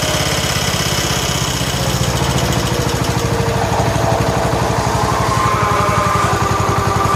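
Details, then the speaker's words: 1969 John Deere 140 H1 garden tractor, cold start after fitting a brand-new carburetor, oil somewhat black: steady even putter, every beat on time, no misses or surging; runs well, quiet and smooth. "the next video you see the video clip will be it's running and it runs well runs quiet and smooth"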